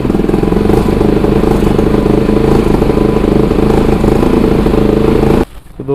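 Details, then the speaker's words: Bajaj Pulsar NS200, idle about 3 months, now running after battery replacement, petrol added and the water-carbonised kill switch cleaned: steady, even single-cylinder thump with no misses or knocks until switched off; normal idle. "Bike हमने start कर लिए bike में जो problem हो रही थी वो मैं आपको बता देता हूं"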